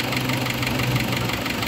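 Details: Isuzu Trooper 4JX1 diesel at idle with no blow-by. Hard regular knock over the diesel clatter; an internal or fuel knock is suspected, not confirmed, so a combustion test with glow plugs removed follows.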